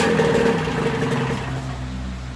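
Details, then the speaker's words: Vintage Mercury 9.8 hp model 110 outboard, first start after about 10 years on a shelf with oil added: fires and runs with buzzing two-stroke note, no clanking or knocking; normal running. "it runs it didn't Clank like it wasn't supposed to has good fire"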